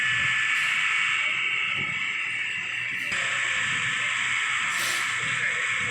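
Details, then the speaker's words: Common rail pressure relief valve bench-tested on a rail rig, should open at about 1700 bar: steady high hiss with no engine running as diesel escapes at roughly 500 bar; faulty leaking PRV causing no-start. "लेकिन जब भी खराब हो जाता है तो सौ-दो सौ बार पर ही यह खजूर है यहां से डीजल बहने लगता है"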